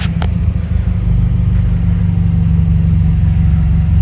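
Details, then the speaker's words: Turbo car after fitting a blow-off valve and Accessport, while adjusting the BOV: a brief rev drops back to a deep, smooth, even idle, and AFR reads about 14.5 to 14.85 with no check engine light; idling normally. "Idle went back to normal. AFR is perfectly fine."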